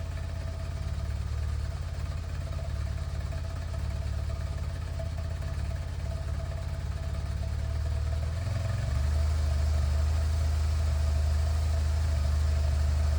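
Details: BMW R1200C cruiser twin after fuel pump replacement idling with deep even low rumble, firming slightly, no misses or knocks; healthy idle, no fuel leaks.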